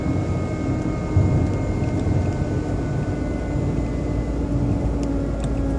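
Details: BMW 120i E87 engine running: a constant thin motor-like whine rides over a steady hum at unchanging pitch. An oil change did not help, and the owner suspects it comes from behind the air cleaner box. Source unclear.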